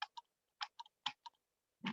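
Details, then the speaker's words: HO slot car race controller set to medium/fast mode, which uses the relay (kid mode two never switches it): crisp paired clicks about every half second with silence between; normal relay clicking. "in in kid mode mode two you're not hearing that tool because it's not kicking whereas if i put medium fast mode you should be able to hear that relay kit"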